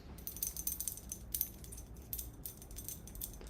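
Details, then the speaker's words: Ratrig V-Minion kit 3D printer hot end (bi-metallic heat break, plated copper block): light uneven china-like clinking in quick bursts when shaken. A loose porcelain sleeve inside the hot end is rattling. "about this hot end is uh there's a porcelain sleeve inside of here and you can hear it rattling around so when you're printing really fast I can imagine this like clinking around a little bit"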